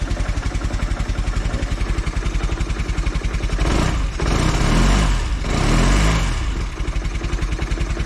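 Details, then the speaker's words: Cold Velocette single with carb likely not tuned right yet: uneven thumping idle near 220 beats a minute and a lazy throttle blip that sags back; cold engine hesitation, temperamental until warmed up. "I do have a bit of hesitation though. Um, so again, I don't think I've got the carb tuned exactly right yet."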